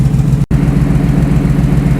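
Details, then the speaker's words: 1968 Ford Bronco, warmed up; radiator fan control pack kicks on at 195°F, read from cylinder head temperature, not the water temp sender; steady deep even idle with smooth electric fan whirr, no misses or knocks, healthy. "the fan has come on 195 degrees it references cylinder head temperature not actual water temperature sender so we're on 195 let's see if it comes down"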